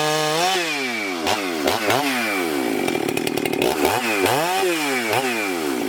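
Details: Husqvarna 394XP chainsaw, freshly rebuilt and ported, first shakedown runs cutting a large log: revs climb to a sharp scream, dip as the chain bites, recover fast without bogging. Healthy and strong; good compression; may lean the low jet slightly and richen the top end.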